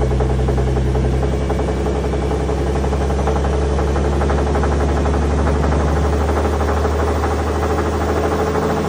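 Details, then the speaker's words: 2017 Ford F-150 Raptor, second-gen 3.5L EcoBoost, growling when accelerating: a deep lower-end growl with an uneven knock about four times a second. It had oil consumption and metal in the oil; the mechanic suspects a rod or main bearing failure. "take a listen to how this engine sounds it's like growling whenever you accelerate take a listen"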